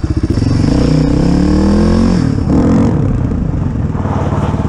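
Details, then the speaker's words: Suzuki DR350SE single, revived abandoned dirt bike, riding test after a fix for previously missing gears: revs dip cleanly at each change from second through third with no clunks or grinding; all gears now engage. "let's see if we got second gear maybe third fourth I didn't have all of them let's find out we're gonna try a second yep second works"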